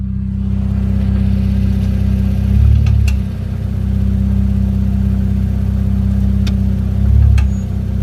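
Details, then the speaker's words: Infiniti Q50, heard at the rear while shifting between drive and reverse: engine runs steady with a few sharp single clicks from the rear axle; the dealer replaced and lubricated the axle nut, which stopped the ticking. "I started making this weird noise when going from drive to reverse and reverse to drive it was like kind of like a clicking sound I know it's coming from the rear cuz I didn't hear from the front nor the transmission area"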